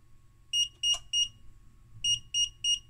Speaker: we have a problem definitely the 15 volts is pulling way too much power so I will turn this off